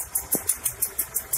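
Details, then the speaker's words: Honda Accord Prestige after setting distributor ignition timing without a timing light: petrol engine idles steadily at normal 800 rpm, with light regular ticking about six times a second; valves set loose. "idle up juga sudah normal, sudah di 800 rpm."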